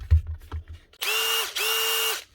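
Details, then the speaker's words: Makita DTD153 impact driver with a new controller fitted: two clean trigger pulls, each a smooth, even high motor whine with no rattle or grinding. Runs normally. "Look at that. One wee instafix on a Makita impact driver. New controller fitted."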